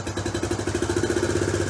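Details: Honda CT Trail 90 single-cylinder, carb mixture tuned, still warm, kick-started without choke, air cleaner on: slow, even putter around eleven beats a second, no misses, clean-smelling exhaust; a properly tuned warm idle.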